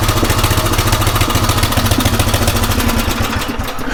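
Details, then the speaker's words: Craftsman rototiller single-cylinder on a new aftermarket carburetor, drilled out one size and idle screw turned in about 1.5–1.75 turns, tried at full throttle, half choke and full choke; slow, slightly uneven thumping that sags near the end, idle slightly too slow. "let's see what we have full throttle about half choke full choke should be a little faster"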